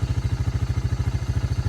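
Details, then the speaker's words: Early-1990s Honda FourTrax TRX300 ATV, auction machine revived (brakes still not working): quick, even putter of about thirteen beats a second, no misses or stumbles; clean steady idle, "sounds like a sewing machine". "so no brakes at all but I I am happy this thing runs perfect sounds like a sewing machine sitting there running"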